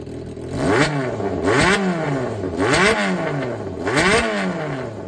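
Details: Yamaha XJR400 (4HM) startup check: four quick throttle blips rising and falling cleanly, no knocks or rattles; seller states no abnormal engine noise or white smoke. Normal engine revving.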